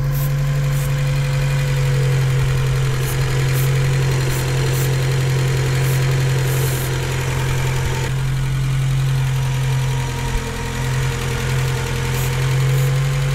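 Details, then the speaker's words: 1980 Porsche 924 Turbo, Bosch CIS, rough idle with rough cold starts and a boost leak at high rpm: lumpy idle at about four pulses a second that smooths when spray hits cylinders two to four, mostly cylinder three, confirming an intake manifold gasket leak. "so yeah it looks like my fear was correct I didn't really get anything up here on the first cylinder the second gave me a tiny bit of a response when I sprayed on there"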